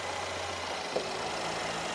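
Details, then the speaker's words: 2017 Mercedes GLS 450 3.0L, 122,000 miles, codes P0016/P0011, long-crank complaint: steady even idle with no ticking, rattle or slapping after start; engine sounds good, likely no timing chain problem. "The engine sounds good. Okay, you can turn it off. I don't think we have a timing chain problem."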